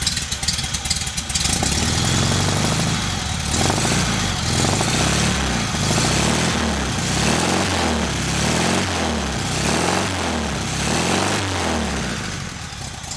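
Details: VW engine idling on a rigged temporary petrol tank, with a leaking fuel pump: a deep pulsing woof about three to four times a second riding over the exhaust. The cause is unknown and the engine must come out again.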